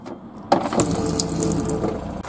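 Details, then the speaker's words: Whale Watermaster FP0814 (B) caravan water pump after repair with new valve and head assembly, running with steady even buzz under running tap water, no knocking or labouring and no leakage; normal pump operation. "there we go pump works an absolute treat and there's no leakage"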